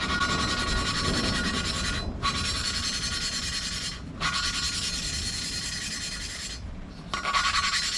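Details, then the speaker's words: Hand lapping new exhaust valves into the cylinder head of a 2013 Volvo S60 T5 2.5T during a rebuild: gritty back-and-forth rasping that pauses when the valve is lifted and turned, and the sound changes as the valve seats in. "stick this on now you'll hear it you'll hear it you'll hear it change you'll kind of feel it too sound is terrible"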